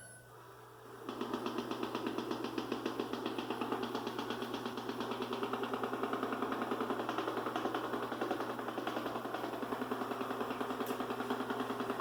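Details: Ecovacs Deebot N79S robot vacuum: constant hum under a rapid, even clatter of about three to four beats a second; loud knocking noise from inside the unit.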